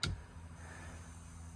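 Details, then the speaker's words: LS-swapped BMW E46, with the E46 internal fuel pump run through a switch-panel relay: a relay click, then a low, steady hum with no surging, and the gauge should read regulated pressure. Normal fuel pump operation. "Sure enough, we can hear it, and if I could see it, my fuel pressure gauge, which I've just recently permanently mounted, which I'll show you guys when I show the other part of the fuel system, it'll be reading the regulated pressure."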